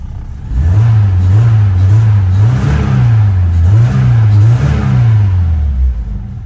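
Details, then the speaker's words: Several clean throttle blips on an engine after rewiring its EFI power, ECM and ground wiring; revs rise and fall smoothly with no stumble, acceleration enrichment still to be tuned but seems good; normal revving. "I do have some other tuning to do, like acceleration. Actually, that's pretty good."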